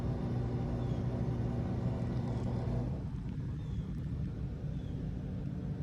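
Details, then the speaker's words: Whirlpool washer: low steady hum that never builds into spin, then dies away; lid locks but motor struggles and won't spin due to a bad capacitor. "It did not spin. Sounded like the motor was struggling."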